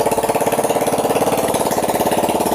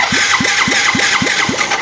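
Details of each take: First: Yamaha Mio J injection scooter starting and idling evenly at about 214 firing beats a minute with no misses, after the faulty pulser coil was replaced (a substitute pulser fitted). This confirms the pulser caused the no-spark no-start. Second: Yamaha Mio J fuel-injected scooter with no ignition while the fuel pump hums; owner's new coil didn't help. Cranking on the starter, key on, 12V at the coil: even rhythm, about four pulls a second, no firing. No ECU ground signal at the coil.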